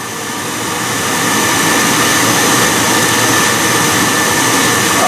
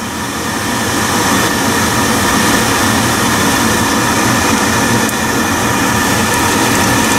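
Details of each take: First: Biasi B-10 boiler with Riello oil burner, bleed valve cracked open after reset: steady loud motor roar with hissing rush, even and unchanging, as burner motor and pump purge air from the fuel line. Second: Biasi B-10 oil boiler with Riello burner, just after bleeding air from the fuel line at the pump bleed valve and resetting, burner cover off: loud steady roar with no sputter, pulsing or dropouts; burner firing cleanly and normally.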